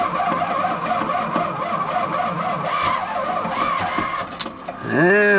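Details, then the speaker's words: 1972 Chevy C50 big-block rollback with a Schwartz bed, first start after sitting several years with bad gas and a bad battery. Fuel pump switched on, choke used. Long steady cranking before it catches and revs up. It then shows oil pressure and the battery charges. "we're getting somewhere he's got oil pressure the battery's charging success"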